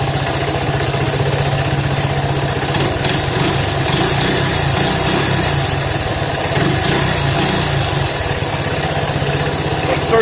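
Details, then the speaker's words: Honda ATC 125m three-wheeler, sat 5–10 years seized, carb and fuel system cleaned, cylinder soaked to free it (likely the hydrolock); formerly smoking, now not. Small single putters at a steady, even idle with no misfires: normal idle. "So it's probably burning it all out, and that might have been what was hydrolocking it. But as you can see, it idles pretty good, guys."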